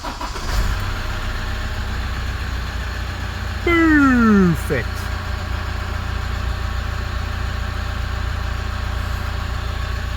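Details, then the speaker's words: 2007 Toyota Fortuner D-4D diesel at 375,833 km, just serviced and fuel primed with the hand pump: settles into a smooth, even idle with a steady low rumble and no knocks or misses. Normal idle. "let's start it and see how it goes so yeah let's just see 375,000 $833,000 km still going strong"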